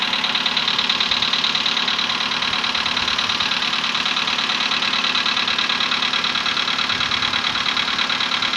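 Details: VW Polo Sedan, CFNA petrol engine, 105,000 km, before decarbonizing: cold start at 20°C after ~15 hours parked; fast even light knock around three per second over idle; cold piston knock that fades, gone within a minute.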